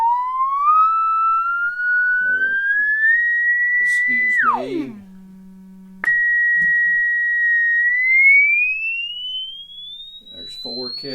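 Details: 1935 Philco 54C field-coil speaker with patched cone, field coil fed 40 mA at about 117 V DC: clean tone sweeping smoothly in pitch from 200 Hz past 6 kHz, no buzz, rattle or scraping; speaker healthy.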